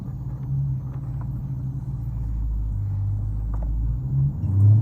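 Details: Dodge Challenger R/T on a test drive after a squeak suspected from a rear suspension link bushing: only low road rumble and engine drone, no chirp or squeak over bumps.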